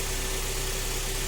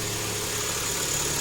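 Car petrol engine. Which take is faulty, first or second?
first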